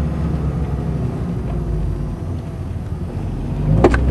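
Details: 1991 Honda Accord on a cold day: low engine rumble, then a sharp moderately loud single pop from the driver side front wheel well each time hard throttle is given.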